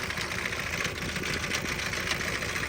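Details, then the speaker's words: Auction-bought Isuzu diesel engine. Steady idle buried under a loud, busy metallic rattle throughout, with blow-by noted. Sounds blown up; cause unconfirmed. "so in case you're wondering it sounds like it's blown up"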